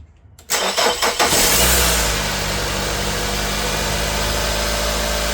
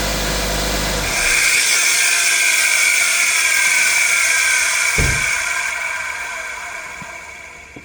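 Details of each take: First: 2002–06 Nissan Altima 2.5 after alternator and belt replacement: starter whirs briefly, engine catches and settles into smooth even idle, previous loud noise gone; normal start and idle. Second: 2002–06 Nissan Altima 2.5, microphone near the alternator, just after shutdown: a loud high whine keeps going for several seconds and fades after the alternator stops spinning; failing alternator internals, to be replaced.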